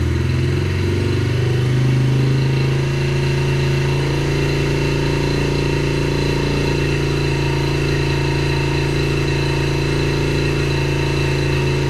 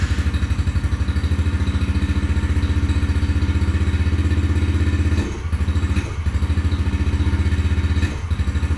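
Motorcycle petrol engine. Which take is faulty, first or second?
second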